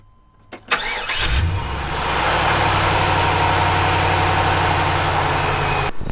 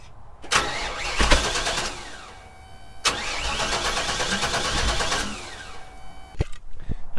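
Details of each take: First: 1998 GMC K3500 454 (7.4L) V8 after a new cap and rotor held on with zip ties, following a bang, sputtering and power loss: catches at once into a steady, even idle; normal idle, though the distributor wobbles and seems worn. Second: 22-year-old 1998 GMC K3500 with 454 (7.4L) petrol engine, dead after a loud bang and sputtering on the freeway: two long, even cranking bursts, spins freely but never fires; broken distributor rotor.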